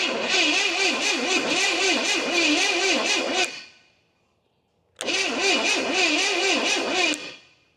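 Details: 1969 Pontiac GTO, apparently Pontiac 350, sat 35 years: steady starter cranking with uneven chug about two beats a second, never catches; no start, possibly super thirsty or way out of timing.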